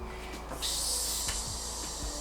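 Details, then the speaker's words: Bicycle inner tube re-inflated after a thorn was removed from the tyre; a steady high airy hiss of air escaping from the small puncture, located by feeling the airflow on wet lips. "hear that? [Hissing noise] So try to find it. Sometimes you might be outdoors, it might be really windy and you can’t find it."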